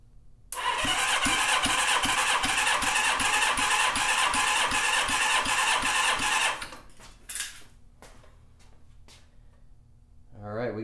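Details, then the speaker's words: Rebuilt Honda CB550 engine, cold and not broken in, on the bench: even, strong cranking pulses with no stumble; reads 170 PSI, all cylinders improved to spec, healthy compression. "got 170 on that one. So, all in all, everything increased. It's where it should be. Again, the motor's cold. It's not broken in, if you will."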